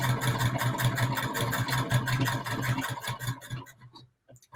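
Quick, even stitching clatter around four beats a second that runs smoothly and then stops cleanly; the sewing machine sounds healthy.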